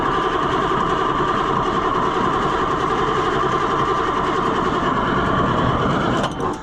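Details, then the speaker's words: White 4-150 tractor, Caterpillar 3208 V-8 diesel, idle all winter; steady starter churn, no firing, only a hint of smoke. Owner suspects old gummed fuel in the injection pump or something stuck inside. Cranks but won't start. "Yeah, it just don't do like I think it should. It should be smoking a lot more and it's not. There's just a hint of smoke."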